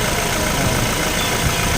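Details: Toyota Fortuner diesel idling smoothly and evenly after the tensioner and idler bearings were replaced, with no whine, whirr or rumble from the belt-driven accessories; the earlier noise was from worn bearings.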